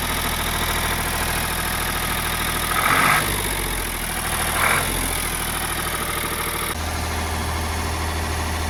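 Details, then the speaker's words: Ford 4600 diesel tractor, just started after fitting a service-exchange injection pump, settles into a fast, even idle of about 1300 rpm that never drops toward the 800 rpm tick-over. The throttle linkage is stuck open and needs adjustment. "Now, it looks like I'm going to have to make some adjustment on it because that is as low as the revs will go. About 1300 it's revving at."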